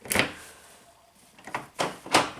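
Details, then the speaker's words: 1996 Geo Prizm (Toyota Corolla) power door locks, demo on the passenger side: several sharp clunks close together, an unlock snapping straight back to locked within a second; locks relock on their own, cause still unknown. "lock works fine you can hear all the locks go kucing and then unlock it does not stay unlocked it keeps pulling them down"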